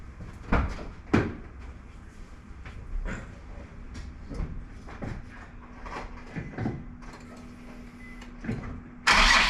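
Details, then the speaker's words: Crash-damaged Nissan 350Z Nismo, start during rebuild: clicks and clunks, then the engine cranks and catches with a loud, steady roar; normal engine start. "it's alive wow big success that uh that'll save us a lot of uhy money and time wow insane"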